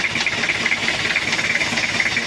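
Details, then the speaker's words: 1997 Toyota Kijang diesel with an oil leak at the head gasket, oil in the radiator coolant and no thermostat: a low, uneven idle that shakes badly with a pulsing beat; the rpm is too low, and the mechanic suspects slack timing or a dirty fuel filter. "untuk kita cek kita coba hidupkan untuk mesinnya ini geter Parah Kayak kurang [Musik] RPM suaranya seperti ini terlalu low rpm-nya tapi ini menurut saya kayak timingnya kendor atau filter solarnya nya kotor"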